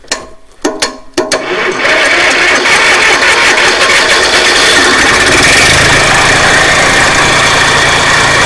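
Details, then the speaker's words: 1963 Fordson Dexta diesel tractor, normal cold start at about minus 2°C, out of gear, during clutch-problem restoration: a few cranking bursts, then catches and settles into steady even idle with no knocks; not bad for the cold. "on that's not bad considering the temperature is low freezing here at the moment it's probably about minus 2 so I don't think that's too bad for an old 1963 Sunter"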